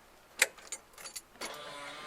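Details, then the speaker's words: Coyote-swapped Fox body Mustang with Ford Performance and Dakota Digital harnesses spliced to the Fox harness, at key-on: a few clicks then a steady electric buzz; fuel pump priming normally. "pump is on don't move the light sorry but we got all right"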